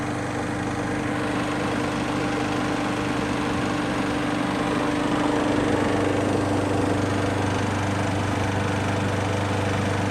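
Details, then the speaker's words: Craftsman mower with Briggs & Stratton autochoke after fitting a new aftermarket HIPA carburetor: started on the first pull and settled into a steady, even run with no misfires or surging. "that was genuinely my first pull with this thing and it starts right up never had one of these do that"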